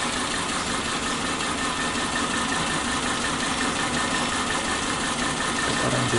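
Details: Suzuki Katana carbureted engine, warm, shaking hard at low idle with weak acceleration: uneven, lumpy idle with loose irregular beat and heavy vibration; misfire from one dead spark plug (cylinder 3, black and fouled).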